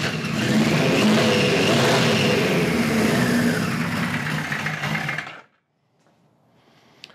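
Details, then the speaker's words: 1973 Kawasaki Z1 900 four: ragged, uneven revving with stumbles, then sags and dies within about five seconds; points sparking heavily, owner suspects an ignition fault. "this could very well be ignition cuz them them points are really sparking I don't know why they're spark him but yeah she does not want to run"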